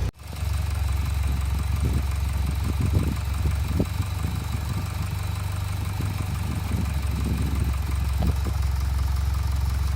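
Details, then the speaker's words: Mitsubishi Evo X MR, 52,000 miles, warm idle after several minutes running: low, steady, even idle with no ticks or knocks. Idle rises and falls only on a cold start; normal once warm. "there you go you can hear it there it drives lovely once it's up to temperature it's just on a cold start that that happens"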